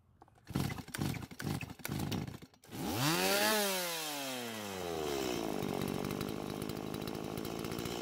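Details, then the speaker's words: Stihl MS170 chainsaw after swapping parts to fix it cutting out on its own: pull-start, fires, revs and settles into a steady buzzing idle that keeps running until switched off; normal running. "[Music] well I guess it's working now this time I had to turn it off with the switch instead of it deciding when to turn off"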